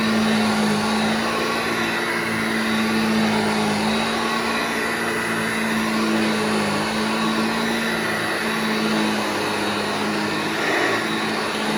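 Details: Vintage Hoover Junior 1334 vacuum cleaner after full restoration, running in a room: steady motor whine with constant low hum, no rattle, scrape or wavering; motor healthy and smooth.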